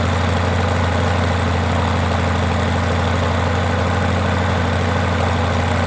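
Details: Rotec R2800 radial engine on an Aerolab LoCamp prototype airplane, first start after long-term storage and reassembly, fuel pump on: steady, even low-speed radial beat with no misfires or hesitation; runs smooth and healthy.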